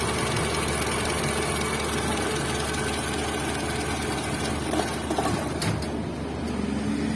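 A steady idle with a faint light knock running under the engine note and no rev change; sounds like a top-end tick. Cause suspected, not confirmed.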